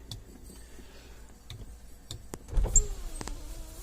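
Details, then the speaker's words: 2007 Suzuki XL-7, key on, driver's power window: switch clicks then smooth steady motor whir as glass goes down; normal operation, while passenger front window does nothing. "driver's side window works fine passenger front window doesn't do anything"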